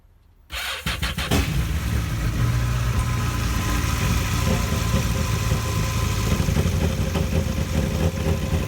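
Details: Yamaha 242 jet boat engine: cranks, catches and settles into a rough idle with uneven stumbling beats; misfiring, cause not yet known.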